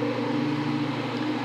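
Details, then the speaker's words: Victron Multiplus-II inverters charging SOK 48V server rack batteries in a 120/240V split-phase home backup: steady low hum with fixed tones from cooling fans running full bore under heavy charging, normal. "you're the fans but that's only when they're you know going full bore"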